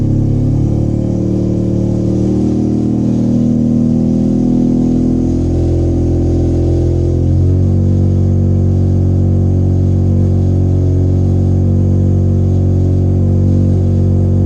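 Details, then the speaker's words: 13B rotary in a Factory Five 818 after freeing stuck apex seals, all rotors now firing, 20W50 oil, warming up before idle tuning. Smooth, steady low hum at even speed with slight shift partway; normal warm-up idle. "But now everything's firing and everything's going good. So once I get it warmed up, I'll tune the idle."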